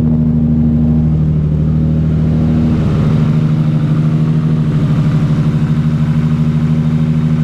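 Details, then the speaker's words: Nissan Skyline R33 with big turbo and fresh build, running on a new ECU after an ECU fault was diagnosed. Fully warmed up, it settles into a smooth, even, steady idle with no knocks or misses. Normal idle. "it warm up a little bit and then we'll give it some revs just a little bit so now we're at idle all warmed up"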